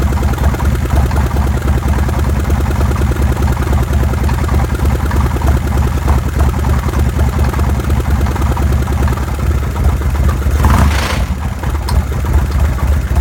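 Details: Evo engine with an abnormal noise: rough, uneven tapping clatter of about three knocks a second over a low idle. The engine proved badly damaged inside when opened.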